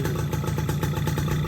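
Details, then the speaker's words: Yamaha F1ZR two-stroke, first run after rebuilding a crankcase whose bearing housing was worn loose by a knock-off bearing, tested without the clutch housing fitted. Quick, even putter at idle with no knock or grinding. The previous grinding is gone; normal idle. "Alhamdulillah. Alhamdulillah motornya sudah adem, suara kerangkeng setengahnya."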